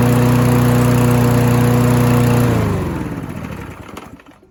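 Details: Free Husqvarna mower after both ends of the governor arm spring were adjusted: a steady, even drone at constant pitch, then shut off and winding down smoothly. Normal running speed.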